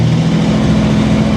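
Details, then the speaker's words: 1964 Chevrolet Corvair barn find, long stored, brakes going to the floor, moved slowly forward and into reverse: even low-rev engine drone with no grinding or clunk as gears engage; clutch smooth, gearbox engages cleanly. "Clutch feels nice and smooth, actually. Let's try reverse. No grinding of the gears."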